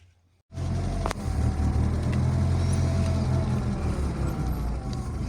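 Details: BMW 3 Series E36 at idle: a smooth, even low engine hum with no whine or groan from the power steering. The power steering sounds quiet and healthy.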